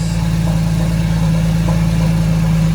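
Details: Crashed Porsche Boxster S idling after power steering pressure line replacement, no leaks, slight smoke from residual fluid on the headers. Steady, even low idle hum, no ticking, whining or knocking: normal idle.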